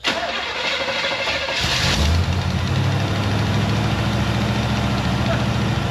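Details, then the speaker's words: 1973 Corvette V8, automatic, started after two throttle pumps; spark plug gap found far too large. Uneven, lumpy idle with a loping beat, possibly only seven of eight cylinders firing. Rough idle, cause suspected, not confirmed. "sounds like it's not a dead hole but it sounded like that's the other day too yeah that's seven that's about 8 cyl shut her off"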